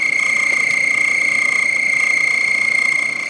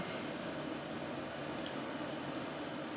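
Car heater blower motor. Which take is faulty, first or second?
first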